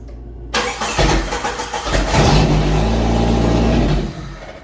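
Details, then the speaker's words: 1988 Jeep YJ abandoned for years, restart attempt: starter cranks, engine catches, revs briefly, then sags and fades out; runs only on starting spray in the throttle body, apparently no fuel coming up. "yeah see it's just it's just running off of what I sprayed in the carburetor in the throttle body so we must not have fuel coming up here"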